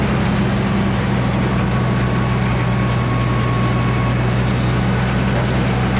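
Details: 48-inch sawmill blade fitted with used, resharpened steel bits that were lopsided: loud steady saw roar, low drone and thin ringing whine; the blade cuts poorly and runs hot until new bits are fitted.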